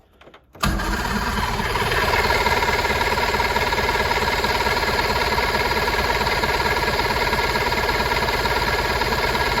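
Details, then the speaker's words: 1980s boat's two-stroke cranks on the starter, turning over evenly but never catching; no fuel is getting through, though carb cleaner fired it right away and the gauge reads full. The fuel pump is opened next. "well clearly we're not getting fueled anything Let's uh open up the fuel pump here and see what's going on"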